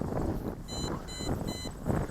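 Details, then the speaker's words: MJX Bugs 20 EIS drone in flight: three short high-pitched beeps about half a second apart over wind and motor hum; low-battery warning before automatic landing. "Okay, right there. I think we're getting low. It's going to land itself."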